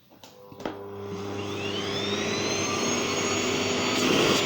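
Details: Old Gerer8 Power MAX 2000W vacuum cleaner started on low setting: motor spins up within a second and settles into an even steady hum with soft high whine; running normally.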